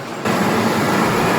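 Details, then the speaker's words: 2003 Lincoln Aviator with the InTech 32-valve V8, running after replacing the spark plugs and coil packs for a two-cylinder misfire: even, smooth steady rumble with no stumbles or skips; sounds a lot better. Stored codes should clear after a few miles. "Sounds better, a lot better. I'll call that a win."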